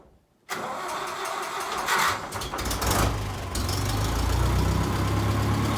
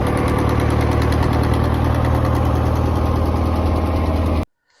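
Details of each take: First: John Deere 2010 tractor after new exhaust gaskets fixed exhaust leaks: brief cranking, catches, settles into steady even diesel idle with no exhaust puffing or ticking; sounds a lot better, normal start and idle. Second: John Deere 2010 tractor before replacing exhaust manifold gaskets: steady idle with a sharp, uneven puffing chuff about four times a second riding over the rumble; exhaust manifold leak.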